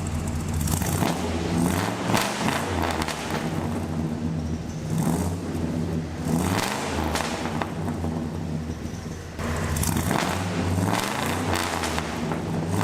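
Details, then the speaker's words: 1985 Chevrolet crew cab dually with a 6.0 V8 and long pipes, revved after sitting over 2 years, which followed fuel line and fuel pump issues: deep rumble swelling smoothly on each rev and settling evenly; it sounds strong and healthy. "It sounds pretty good, especially when you're accelerating where you got a good load on it."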